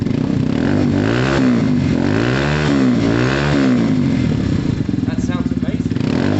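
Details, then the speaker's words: Free Yamaha TMAX 500 scooter started at first look, battery needed: it catches and settles into a steady, even beat with clean revs and no knocks or rattles; it runs healthy. "That's half of the battle done for me, guys. That's brilliant. Did you hear how amazing that's how amazing that sounded?"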